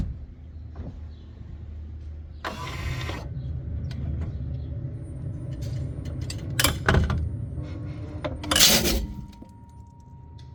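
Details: Cupra Born 150 kW MY24 electric car: sharp isolated clicks and a couple of dull clunks from the rear axle over a low hum while shifting between drive and reverse.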